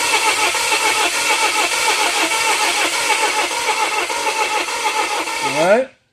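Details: 2017 Volvo XC90 crank-no-start after reportedly stalling while driving; cranking while measuring crankcase pressure after the exhaust trace showed nothing; long uneven loping crank that never catches, one cylinder losing compression into the crankcase, likely a burnt piston.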